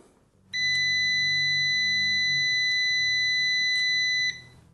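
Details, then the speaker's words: Uni-T UT161E multimeter continuity test. A clean, high, steady beep holds for nearly four seconds and cuts off when the probes part; the beep starts slightly before the green light comes on. Normal continuity beep, tester working properly. "that worked way much better than its little brother. The 161D had a kind of weird way it did, but this is fine. It does delay. The beep starts before the green light comes on."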